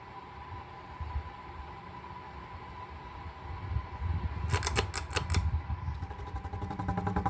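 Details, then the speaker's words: White 52-inch Craftmade outdoor ceiling fan, blades re-leveled and re-pitched, 5-wire capacitor: close-up startup with steady motor hum, a few sharp knocks, then faint rapid ticking from worn bearings. "And a close-up just to hear the bearing noises along with the motor humming. It has a bit of a hum."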